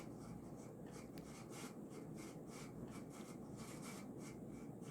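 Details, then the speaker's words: Early-to-mid-1990s Casablanca San Marino Inteli-Touch 52-inch stack-motor ceiling fan on high (speed 6), slight wobble from bent flywheel: steady dry scraping rub with slow pulsing swish, no clean hum; worn motor bearings needing replacement. "so these bearings will have to be replaced unfortunately which is bad because i absolutely cannot stand replacing bearings in stack motors"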